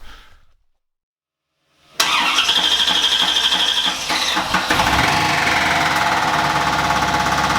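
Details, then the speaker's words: 1950 Chevy coupe with 1993 C4 Corvette engine/transmission swap, first start after fixing ECU power: fast steady metallic knock about three a second; owner suspects a dented torque converter cover, to be pulled and dent knocked out. "However, there is a dent in the torque converter cover down there, and I'm guessing that's probably what that knocking noise is. But the car runs."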